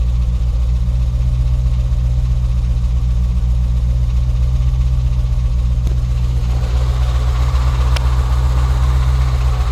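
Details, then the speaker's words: Hemi V8 idling in park or neutral: deep rumble with a loose, uneven knock about four beats a second; gone in drive under load; broken flex plate, not engine knock. "that's why I didn't hear when I was driving cuz it's not doing it when it's in drive when there's load on the engine I guess"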